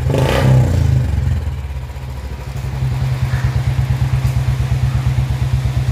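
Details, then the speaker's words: Royal Enfield Bullet 350 BS4 that had a misfiring (missing) problem, after fitting the blue BS3-type part (transcribed as CDI). A throttle blip, then an even, steady single-cylinder idle thump with no dropped beats. The misfire is gone. "है तो आपने देखा BSP वाली सीधे लगाने से गाड़ी में क्या अंतर है एकदम गाड़ी पर सेट हो गई कोई भी मिशन नहीं गए"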